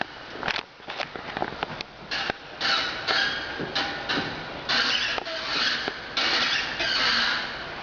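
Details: 2005 SRT-4 with the original OEM clutch at 13,000 miles: sharp squeaks each time the clutch pedal is pressed and released. It starts only after about 30 minutes of driving, not when cold, and with no gear or shift problems. Lubrication is suspected to be needed.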